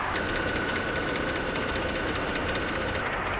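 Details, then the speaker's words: Mercedes W211 petrol engine over 200,000 km idling after oil additive treatment, smooth and quieter with light fast valvetrain ticking, clicking possibly from tensioner or pulley, faint fan noise; not serious. "약간 의 똑딱거리 는 소리 나 두드리는 소리 가 나긴 하지만 , 걱정 할 만 한 일 도 아니고 심각한 문제 도 아닙니다 ."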